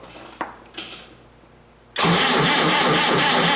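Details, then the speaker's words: Old Clark forklift, DC generator with power steering pump bolted to its back, driven by two tight belts: clicks then harsh loud high-pitched screech while cranking, belts slipping on a generator that won't turn; fault in generator or power steering pump. "You'll notice the generator doesn't turn, slipping the belt. So we've got a problem either with the power steering pump or we've got a problem with the generator."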